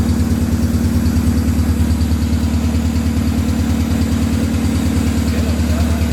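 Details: Honda B18B engine after injector replacement, fuel return line hooked up: even idle with a loud, regular exhaust beat of about three pulses a second and no skips; normal idle, injectors were the misfire cause.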